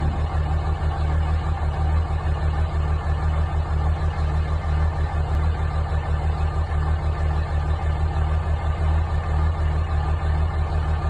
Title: Dodge ram 5.9 Cummins CR cold start bad injector